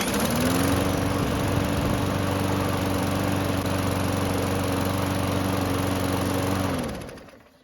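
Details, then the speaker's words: Murray mower with used ignition coil installed and carb primed: catches at once and runs a steady, even single-cylinder buzz about seven seconds then winds down; starts and runs, normal running. "And as you just saw, it started and ran, which is great news."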